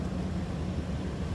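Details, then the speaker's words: 1997 Chevrolet C1500 Silverado extended cab, 5.7L Vortec V8, heard from the back at the tailpipe: deep, steady low rumble with an even beat, no ticks or misses; healthy normal idle, sounds like a stock brand-new 1997 Silverado. "sounds like a stock brand new 1997 Silverado you ask me"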